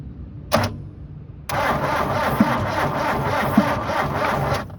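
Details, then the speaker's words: 1972 Toyota Celica with its factory 18RC engine, sat over 20 years in a junkyard, cranked with the carburetor removed: a steady three-second crank with no firing, so it will not start. The carburetor needs cleaning and the throttle is seized. "Oh, man. Maybe you gotta have a carburetor on there."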